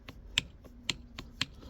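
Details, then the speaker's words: Toyota Aisin MMT 5-speed robotised gearbox on bench: sharp metallic knocks about twice a second as 4th gear shuttles on its worn needle bearing; axial play on the shaft causes the knock when shifting 3rd–4th. "А здесь образовывается зазор на оси и вот этот зазор Вот вот этот люфт и есть вот этот удар при переключении"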